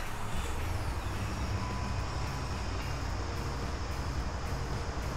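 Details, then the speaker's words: 2012 Dodge Ram 1500 5.7L Hemi V8 burning oil, random-misfire code, idling with an uneven, lumpy low thump; cylinder one worst, effectively dead and not firing, so plug pulled for borescope inspection of the piston. "it's obviously uh this thing is misfiring on cylinder number one the worst I mean it's really bad this thing's not firing at all and CER one"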